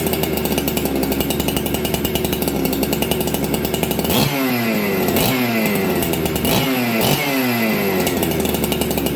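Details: Ported Husqvarna 266XP chainsaw, first start in a year, near-freezing shop, after richening the mixture: steady buzzing idle, crisp throttle blips without bogging, restarts well; idle still slightly fast; normal running.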